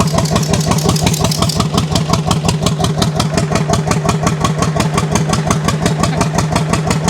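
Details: 1929 John Deere GP first fire-up after restoration, choke just turned off: slow, heavy, evenly spaced pops about six a second with a loud exhaust bark; it runs like one cylinder, cause not confirmed.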